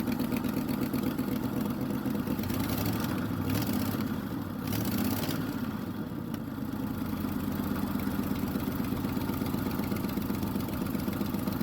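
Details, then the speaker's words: 1976 Ford F-250 V8 on first start-up after starter replacement and carburetor work idles roughly with a loud raspy chuff from one side; black soot visible, exhaust leak blowing badly, to be fixed; no banging heard. "you see all the black stuff that exhaust is blowing terribly bad over there so I'll definitely have to fix that"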